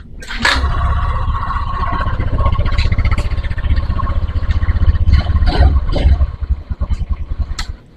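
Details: Honda Vario 150 with new ECU, ACG starter won't crank: engine started by kick, catches and settles into even, steady idle with soft regular exhaust pulse; runs fine, starter fault remains.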